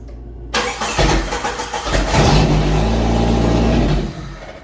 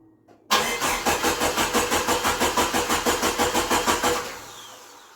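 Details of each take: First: 1988 Jeep YJ abandoned for years, restart attempt: starter cranks, engine catches, revs briefly, then sags and fades out; runs only on starting spray in the throttle body, apparently no fuel coming up. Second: 1988 Jeep YJ abandoned for years, first start after new fuel pump, new fuel filter, blown-out lines and cleaned injectors: catches quickly, steady beat about three a second, dies, restarts cleanly; runs, but major fuel leak at pressure regulator.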